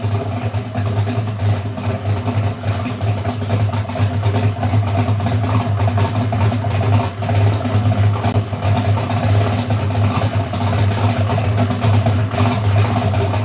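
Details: V8 idling at about 800–850 rpm after the header leaks were fixed, with timing at about 35–36 as specified. A deep, steady burble with no ticking or puffing from the exhaust: normal idle.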